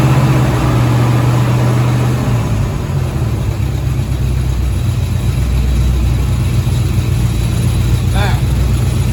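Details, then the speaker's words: 1983 Chevy Silverado V8 after a deer strike: uneven metallic rattle over a lumpy idle that goes away with a little gas and returns at idle. The exhaust downpipe contacts the transmission when hot. "okay so you saw it went away when he gave it a little gas but then once it gets back down to idle which is a little higher than it was but once it gets back down to idle"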